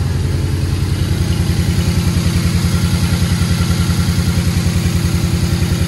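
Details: 2016 Ford Focus ST 2.0 bought at auction with no turbo boost; turbo work, oil change and service done, engine pre-cranked with coil packs disconnected to oil the turbo; first start settles into a steady, even idle with no knocking or whistling.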